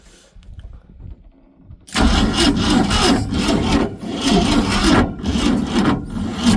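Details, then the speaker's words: 1966 Ford Econoline being started after sitting: starter drags the engine over slowly in an uneven, labouring rhythm, about three turns a second, never catching; suspected weak battery or poor booster connection, not confirmed. "Key to the uh need some more boosting power, I guess. Boost. Booster."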